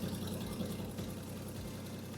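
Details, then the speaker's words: Volvo 960 Executive with a swapped turbo engine and an aftermarket standalone ECU, at idle. A steady, even low rumble with no knocks, misses or surging; it is very smooth. "Udah halus suaranya enak pula. Lihat dong, RPM-nya naiknya juga enak banget."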